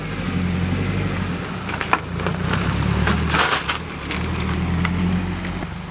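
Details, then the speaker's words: Nissan 240SX S14 with a freshly welded open differential and new grippy front summer tires, idling at crawl speed in tight turns: short scrubbing tire chirps over a low steady idle. Normal behaviour for a welded diff. "You can hear the diff chirping."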